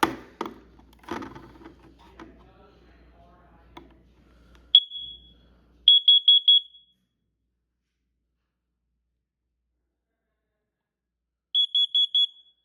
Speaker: Anyways, right here is my um First Alert CO606 carbon monoxide alarm. And we're going to load the battery in there now. And we're going to also test it.